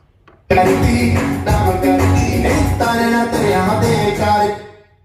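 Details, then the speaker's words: Cemex 250 W amplifier after fitting two new diodes; with direct input, music plays clean and full at steady volume with no hum, crackle or dropouts, unlike the humming, distorted sound through the normal input. "ये देखिए, direct input देने में आवाज़ सही आती है।"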